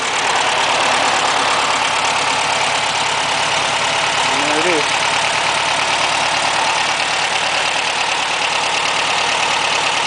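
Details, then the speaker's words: 1963 VW Bug air-cooled flat-four, nearly cold, valves adjusted that morning, fuel system primed, oil checked, started via a hookup box; steady even idle with light ticking chatter, no misses or knocks; started easily, normal idle. "I'm actually surprised it started as easily"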